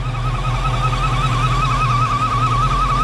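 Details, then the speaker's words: 1971 Ford Mustang Mach 1 V8 with automatic transmission and MSD ignition idles with a low steady rumble under a continuous, wavering high squeak from a front pulley; otherwise a fairly quiet motor. "hear that pulley squeaking up here."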